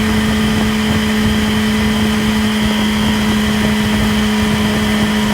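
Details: 2008 Yamaha R6 motorcycle at high revs (6-7k rpm cruise range): steady high whirring whine over the engine note, possibly also present above and below that range; cause unknown.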